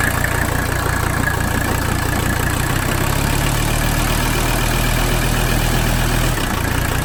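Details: 1985 Mercedes 300D diesel at idle: uneven lumpy clatter with wavering drone; rough idle; lift pump fuel pressure 25–30 psi normal, so lift pump ruled out, cause still unknown.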